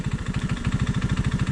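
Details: Honda ATC185 three-wheeler with a cheap Chinese carburetor: a single-cylinder thump about thirteen times a second, beats uneven in strength, a rough, unsettled idle. Mixture screw is set near 2¼ turns out, idle screw just under 2½, with a tiny fuel leak; cause unconfirmed.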